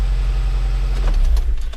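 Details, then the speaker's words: Nissan Livina automatic transmission, towed in after it stopped driving, reassembled a month later with filter and MAF sensor reconnected; at idle, shifting neutral to drive gives a deep rumble then sharp thumps, a harsh engagement clunk, though it now drives. "Eita, muita pancada que tá dando."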